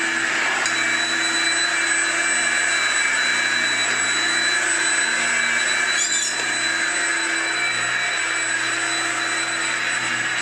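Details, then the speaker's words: Hoover Junior U1650 (last Turbopower-generation) upright vacuum, came in with no airflow, after repair of a stripped, spun-off fan: steady, even high-pitched roar with constant fan tone, no rattle or scraping; normal running, sounds perfect. "so yes folks she is back that's all it was a spun off fan these things are reasonably now that obnoxious anyway so I would say that sounds perfect"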